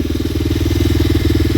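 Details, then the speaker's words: 125cc RFZ single-cylinder dirt bike, long unused, started on choke by kickstart after the spark plug was wire-brushed clean: a quick, even putter at steady idle, no misses or rattles; running normally. "I kicked it a few times, kept my choke on, and now I got it running."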